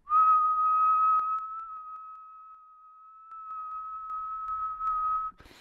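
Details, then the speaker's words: Tascam DR-60D recorder: steady whistled tone into the input drops and rises in small steps with faint clicks, zipper noise as the stepped digital volume encoder chops the constant signal. "you hear that clicking noise and that's because that constant signal is being chopped by the encoder as it goes into the recording"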